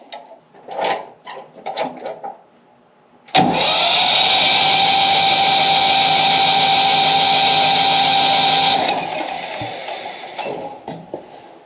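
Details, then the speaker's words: Yanmar 2310 three-cylinder diesel 4x4 tractor cranked with the decompression cable pulled so it won't start, while bleeding fuel lines during injector cleaning; steady even cranking churn about 200 per minute for five seconds, normal decompressed cranking. "Alright, so now we pull out on the decompression cable so that the engine won't start, and we're going to crank it."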